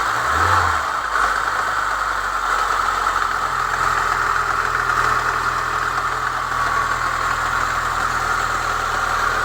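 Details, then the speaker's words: Chevrolet Niva with a cold petrol engine at idle: a busy metallic rattle near cylinder 1 that stops once the engine passes about 60 °C. It was traced to a new timing chain tensioner, which was swapped back for the old one. "Он новый, то есть при момент вот когда машину заводишь, градусов до 60 грохотал, в общем, в районе, да, вот где-то от первого цилиндра."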